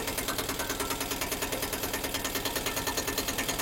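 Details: 2023 Piaggio Ape Classic auto after engine rebuild following seizure from 100 g overfilled engine oil: crisp even beat around three per second, no clatter; idles cleanly, owner says pickup now good.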